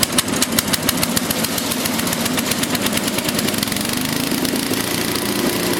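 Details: Small engine whose muffler glowed cherry red from running too lean, restarted after richening the fuel mixture: quick, even beat with a steady exhaust note and no misses; runs clean, normal running.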